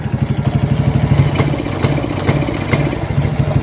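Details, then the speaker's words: Suzuki Titan/Smash motorcycle with the battery negative disconnected: the engine stumbles (brebet) and won't rev under throttle, and the battery had been draining. Cause is a faulty regulator/rectifier (kiprok), to be replaced with a genuine part. "kita coba lepas aki ini kita lepas bagian Min ya kalau dia digas berebet berarti memang kiprok yang bermasalah teman-teman ya"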